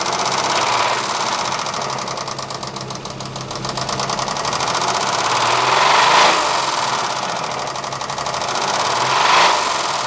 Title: Saab 3.0L bad lifter, rod knock